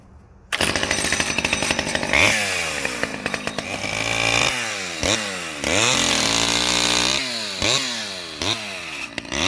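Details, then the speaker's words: Vintage STIHL 011 AV mini chainsaw, run and cutting trees: crisp two-stroke howl bogging into each cut and climbing freely between cuts; normal running under cutting load, pulling cleanly. "so yeah she's a little beast let's fire it up and i'll go cut some trees"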